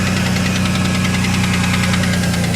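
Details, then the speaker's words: 1992 Ford Ranger at idle in neutral: fast, even light knock under a droning hum; owner believes wrist pin or lifter, unsure which, blames Valvoline oil run through it; plans replacement. "i don't know if you can hear that or not that knocking noise that would probably i i believe it's a wrist pin or a lifter i'm not sure which but i'm gonna have to replace it"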